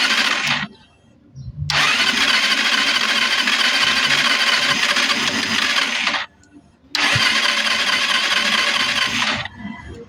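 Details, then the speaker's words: Euro 150 fuel-injected scooter that suddenly won't start, after fitting a new spark plug: two long bursts of starter cranking with barely one catch. It turns over but won't run. Suspected fuel not being drawn in, and the throttle body was very dirty. "Start natin. Wala pa rin siyang redundo. Ayan oh."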